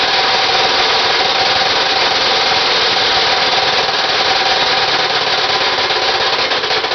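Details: Homemade Briggs 327 three-cylinder stacker radial built from three 9 cu in Briggs mower engines (27 cu in), first runs at about 26°F: loose, irregular knocking about three raps a second over a harsh run; too-loose joints between the crankshafts, not rods.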